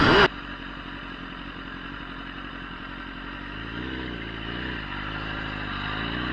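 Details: Gen 1 Kawasaki ZX10R after replacing the fuel pump and fuel filter sock: engine pulls cleanly from a low steady note into a smooth rising rev, with no stumbles or cut-outs. The earlier mid-range cut was the sock or the pump. Healthy acceleration.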